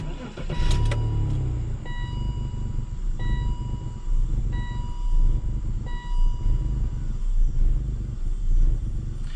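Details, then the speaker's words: BMW E39 530 after sitting about three weeks, with a new mass airflow sensor and a quarter tank of fuel: uneven, stumbling idle with an irregular low beat; no codes after clearing. Owner suspects the MAF or fuel pump. "hmmm interesting very interesting didn't run this bad before I'm gonna say probably that new mass airflow sensor is not good"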